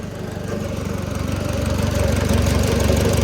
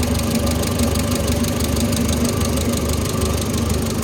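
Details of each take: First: Oliver Super 66 tractor engine idling after valve adjustment, one valve found loose at 0.016 and reset: steady, even low thump at about four beats a second, all cylinders sounding alike; normal idle. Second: Oliver Super 66 tractor engine idling after valve adjustment: light quick tapping over steady idle from one valve with too much clearance needing readjustment; the other valves within spec.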